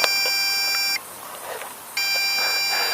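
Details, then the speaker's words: MJX Bugs B2W brushless GPS quadcopter in flight: long steady high beeps, about one second on and one off, replacing earlier shorter beeps; critical low battery warning, land immediately. "I engage images beeping a lot okay you have a longer beep now so we say oh it's time to land immediately so okay I"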